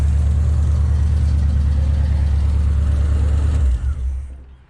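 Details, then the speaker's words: 1977 Oldsmobile Cutlass after new exhaust manifold gasket fitted, exhaust blowout now quieter; two plug wires left disconnected, so two cylinders not firing. Deep idle with uneven lumpy beat about three times a second before shutoff; misfire on two cylinders. "Then we got two cylinders that aren't even firing. Funny."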